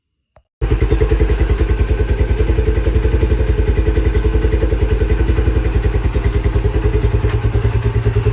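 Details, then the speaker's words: Lifan CityR 175 motorcycle with 10,800 km, after a piston-cylinder replacement for a severe knock. It starts cold and settles into a steady, even idle with no knocking. The carburetor floats are overflowing and the carburetor is flooded, but all else is normal. "Ну, на холостом він не буде робити, тому що залиті карп, по-перше. І по-друге, по-друге, що? Ну, і все. І по-друге, просто А він холодний, але все працює, все нормально."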